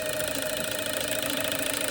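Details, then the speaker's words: K20 Honda Civic race-car injectors on a bench test rig: fast steady ticking with a high-pitched buzz, dropout not obvious here; intermittent firing seems like a connection issue, not the cables, possibly unclean terminals (suspected). "it's like there's a connection issue. Really weird. And it's not these cables."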